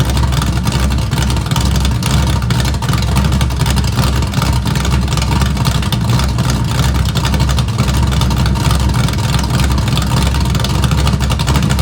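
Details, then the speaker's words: Small-block Camaro cold start after sitting three weeks, running open straight headers: loud, deep, choppy lope from an aggressive cam, firing steady and strong with no misses. Normal lumpy cam idle. "but that's cool because we get to hear it straight open header with this choppy Cam that has literally been sitting for three weeks"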